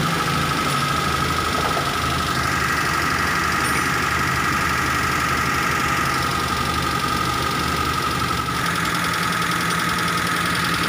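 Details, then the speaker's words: T120SS injection engine idling after the dented oil pan was removed and straightened off the oil pump pickup: steady, even idle with smooth low hum, flute-like whistle gone; normal. "sekarang suara ngiung ngiung nya sudah hilang suara serulingnya sudah tidak terdengar lagi dan ke di seperti semula"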